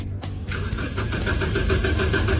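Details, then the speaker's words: Car that won't start, owner had called a tow truck; starter whirs and engine turns over in a steady rhythmic churn but never fires; crank no start, cause unconfirmed (no electricity or no fuel suspected). "still can't start do you know the reason"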